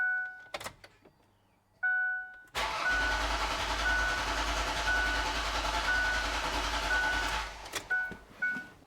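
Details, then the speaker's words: 2007 Ford Freestar after lower intake manifold gasket replacement: dash chimes then about five seconds of steady cranking that never catches, no start because the ignition coil was left unplugged. "I know one thing we forgot. We got to plug the ignition coil back in."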